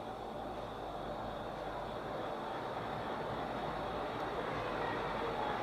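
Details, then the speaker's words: Ceiling fan after servicing and bearing overhaul: steady, even whoosh of moving air only, with no grinding, ticking or rumble from bearings or shaft; running silent and healthy. "ये देखिए सिर्फ हवा की आवाज़ है, बाकी फ़ैन के bearing shaft वगैरह किसी चीज़ में से कोई आवाज़ नहीं आ रही, ठीक है जी।"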